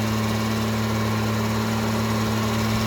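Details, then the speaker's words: 1968 Jaguar E-type Series 1½ convertible, after sitting two years, warming up: fast steady idle around 2,000 rpm because the choke linkage was seized, freed, then stuck the other way; linkage needs lubrication; high idle from stuck choke. "all the CH linkage was stuck so I sort of got it working but now it's stuck the other way as"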